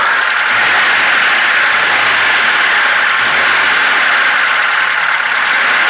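Idling engine with a quick, light ticking at about four per second over the hum, likely from the top end.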